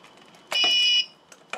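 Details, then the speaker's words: TrippLite APS1012SW inverter/charger with 12V lead-acid battery, load-hunting mode, no load: AC plug pulled to simulate power failure, one sharp high half-second beep then soft clicks as it switches to battery normally. "there it's switched over so that basically simulated a power failure and everything's fine here"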